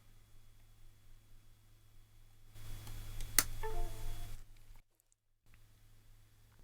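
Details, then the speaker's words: Windows 10 PC as the D+ pull-up on a bare USB demo board is switched off: a sharp click, then a brief, soft, falling two-note USB removal tone. The unknown-device entry disappears from Device Manager. Normal USB removal tone. "If I turn off the D+ pull-up, you'll see the entry disappears and you'll hear the USB removal tone."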